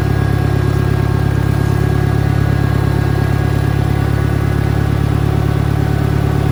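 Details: 1963 John Deere 1010, original and properly maintained, 1,000 rpm, third gear on a backyard lap, needs valve seals; deep, steady drone with an even low gear hum, no grinding or knocking. Normal transmission gear noise.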